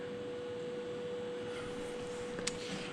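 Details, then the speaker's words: 20 hp moped with newly installed electronic fuel pressure regulation, target pressure set to 3 bar: steady high pump whine whose pitch shifts as pressure regulates; pump working normally. "Kyllä se kuulee, että tuo pumpun ääni muuttuu, kun tuo vaihtelee. Nyt se taas nousee."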